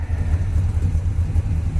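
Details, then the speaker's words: After header collector leak repair, heard from the rear; running rich, timing and carb not yet set: deep, even exhaust rumble with steady low pulses, no ticking or puffing; header seals tight. "it'll sound a little bit better then smells like it's running a bit rich my eyes are burning standing back here but i have not tuned it out set the timing and adjusted the carb yet"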